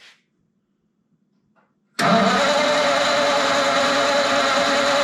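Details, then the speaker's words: Ford flathead 8BA V8, converted to 12V, with gas squirted in before cranking: steady whirring churn that never fires. Cranks but won't start, no fire at all; distributor points and condenser checked next. "got nope no fire at all so all right let's move over there let's mess with that distributor and see what we got"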